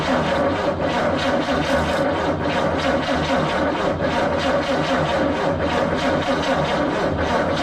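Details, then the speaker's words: CCKW truck cranking with the starter churning evenly but not firing; the carburetor was dry, and fuel had to be brought up to it before it would start. "All right, we got fuel up to the carb. Let's crank on her and see what happens. All right, firing all. Carbs drive, but it was going to take a minute, but Yep."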